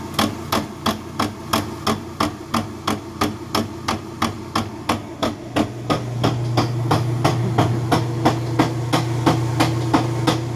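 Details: Whirlpool LSB6400KQ1 washer, cover off and lid switch bypassed: sharp, regular knocks about three a second over a low motor hum in low or high spin. The cause was a bad transmission.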